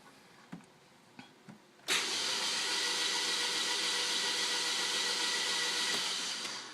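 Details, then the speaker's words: Newly installed engine at 72,570 miles, cranked with coil wire disconnected in short bursts to prime oil before break-in: even, steady starter whirring with no resistance, knocks or grinding until oil light goes out; normal cranking. "but you hear how there's no resistance in the motor that's good you just want to keep doing this for three or four minutes in bursts like this"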